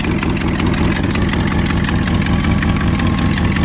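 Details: 1982 Triumph TR8 V8 with original dual factory exhaust at steady idle: a quick puffing tick, about 160 per minute, riding over the engine; likely a small exhaust leak, source hard to pin down.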